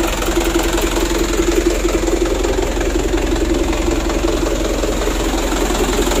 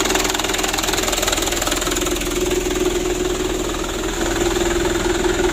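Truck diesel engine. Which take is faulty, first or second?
first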